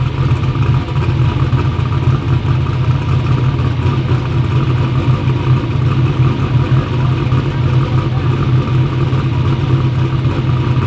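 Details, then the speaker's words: "Black Sheep" V8 race car at first fire-up after new injectors, which fixed its EGT problems; loud, steady, even rumble with no misfire or stumble; runs good, though a front and rear seal oil leak is still to be fixed. "we got it to where it runs good. Those injectors fix the EGT problems."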